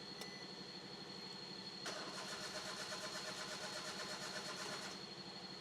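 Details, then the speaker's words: Crank no-start demo with the camshaft position sensor disconnected: the starter cranks evenly for about three seconds but the engine never catches, and the warning light stays on. "വാണിങ് light self അടിച്ചേ. വാണിങ് light പോകുന്നില്ല. വണ്ടി start ആകുന്നില്ല."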